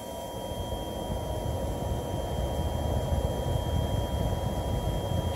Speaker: One downside if you want to own the first Radeon as it was originally released with its classic heatsink and fan is the noise. I have two cards like this and both are almost unbearably whiney.